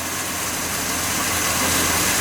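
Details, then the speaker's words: Budget turbo 250 six, just brought back to running, warming up after about 5 minutes: even, steady idle with a smooth hiss and no knocks, ticks or misses; normal idle. "I'm just going to let her warm up a little bit and see how it acts. I'm pretty excited. It's running again. Ain't nothing broken."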